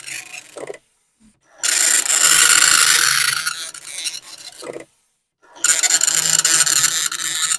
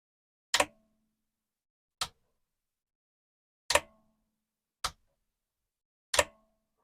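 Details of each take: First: Commodore 1525 dot matrix printer for Vic-20/C64, never tested before, tractor-feed paper, running self-test mode with noise cover on: loud rasping bursts of rapid buzzing chatter, a couple of seconds each, quiet gaps between lines; normal printing. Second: Commodore 1525 dot matrix printer (Vic-20/C64), long-stored, test switch on but not printing: six sharp irregular clicks about a second apart, carriage jumping slightly with no smooth travel; ribbon very snug, owner suspects ribbon too tight or not seated properly; carriage jam.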